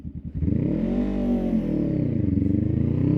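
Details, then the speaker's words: Honda Rebel 500 demonstrating a bad launch: the engine screams to very high revs and hangs there while the bike barely pulls away, with the clutch slipping, which is bad for the clutch. "What did I do wrong there? You heard it. The bike revved up incredibly high."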